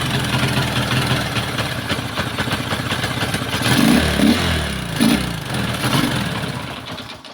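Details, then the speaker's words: Kawasaki Boxer single-cylinder after conversion to a Lifan 110 4-pin CDI (AC type): has spark but idles roughly, lurching and surging unevenly, then stalls; conversion was incomplete, flywheel not modified to match the new CDI. "kawas boxer mga idol Nagpalit po sila ng 4 pin na cdi Tapos Ito po yung naging andar may kuryente siya mga idol pero Ito po yung andar parang"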